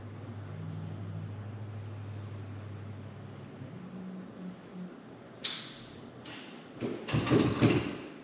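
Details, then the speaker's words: 1989 Volkswagen Cabriolet, first start attempt after sitting 2 years, after replacing mouse-chewed engine wire harness: quiet hum, then a handful of sharp irregular clicks, no cranking; starter plug was left disconnected, starter had cranked before harness swap. "not great news I was just clicking when I hit the key hmm and it was it was turning over before I replace the wire harness so I know that the starter at least worked"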